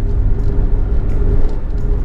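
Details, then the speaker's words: Ford Fiesta Mk5 Zetec-S, driving in second gear at about 20 mph, GoPro head-mounted mic: steady mid-pitched whine over heavy road and engine rumble; owner suspects gearbox, possibly clutch. "Something's really not happy on this car. Can you hear that? I think it's my gearbox. Whining like crazy."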